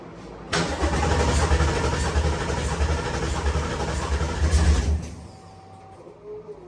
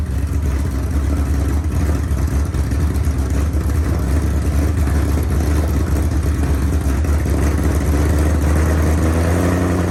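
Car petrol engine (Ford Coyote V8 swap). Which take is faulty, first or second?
first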